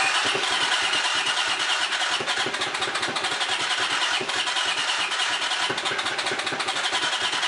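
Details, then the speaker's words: Honda CX500 motorcycle after spark plugs were cleaned: rapid, even starter churning with no firing, cranks but won't start; owner suspects no fuel reaching it, later possible compression loss from sticky valves, not confirmed. "Well, seems like it's not getting gas or something."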